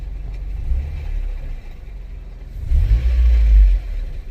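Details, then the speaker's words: 2002 Honda Civic LX, BMXA automatic just rebuilt (master kit, new torque converter, TransLab shift kit, OEM DW1 fluid), under 10 miles since: light uneven clatter under low idle in park and neutral, gone in reverse and drive; cause unknown, owner wonders about a case bearing. "put it put it in reverse stops put it in neutral it's doing it again put it and drive stops maybe just a case bearing I have no clue at this point"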